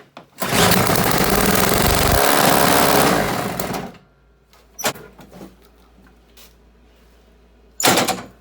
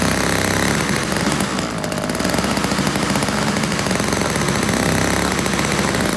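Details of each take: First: Toro CCR1000 3-horse single-stage snow blower, free no-start unit, carb partly cleaned, emulsion tube not yet removed: runs about three seconds on fuel squirted into the intake, then dies abruptly, leaving clunks; fuel starvation, not getting fuel up to the venturi. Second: Toro CCR1000 3-horse single-stage two-stroke snow blower, after cleaning a gummed-up carburetor jet and removing string from the paddles: busy even buzz holding steady biting into snow, no stumbling or surging; normal running under load.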